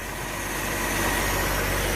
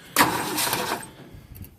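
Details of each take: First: Ford Falcon, believed 170 cu in inline six, sat 17 years in a field, now running: steady, even idle with a soft constant rumble, no knocks, misses or surging; normal idle. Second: Ford Falcon, believed 170 cu in inline six, first start in about 17 years since 2001, fresh battery, given starting fluid: sharp catch, about three-quarters of a second of rough running, then dies; brief firing on starting fluid.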